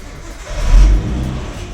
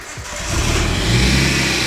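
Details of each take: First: Nissan Skyline R34 just swapped to a 350Z CD009 6-speed manual, exhaust temporarily patched, intercooler piping that hit the fan zip-tied away: single smooth rev with deep even exhaust note, no rubbing or ticking; sounds normal. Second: Nissan Skyline R34 first start after swap to 350Z CD009 6-speed manual, temporary exhaust fix: engine settles to fast idle with rough, rapid rattle; tight aftermarket intercooler piping hitting the fan, fixed with zip ties.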